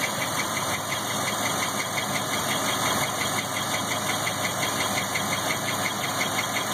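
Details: 1997 Chevrolet LT1, about 172,000 miles, warm idle: thin high chirping squeal about three times a second like a belt, from driver-side rear head area, louder when warm; oil pressure 40 cold dropping to about 10–20; source unknown.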